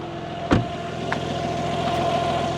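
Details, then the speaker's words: Rebuilt BMW G80 M3, first start of a new engine with new clutch and downpipes: steady, even idle with a light direct-injection injector tick over a smooth low rumble, no leaks; engine sounds healthy and normal. "No leaks or anything. That all looks great. Engine sounds healthy and normal. Sounds like a direct injected engine to me."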